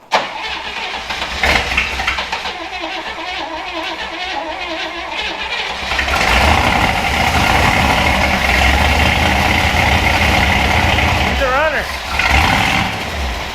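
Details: Willys Jeep Wagon engine after 10+ years sitting, float bowls filled with gas, air cleaner off, after firing order check and timing advance for suspected timing issues: uneven cranking, catches around six seconds, settles into steady run with brief blip.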